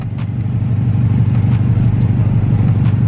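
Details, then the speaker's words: Subaru WRX idling with an exhaust leak at the gasket where the catalytic converter meets the cat-back: deep, steady rumble with an even low puff about three times a second. "putting right there and if you feel it blowing any air and you exhaust then you have an exhaust leak"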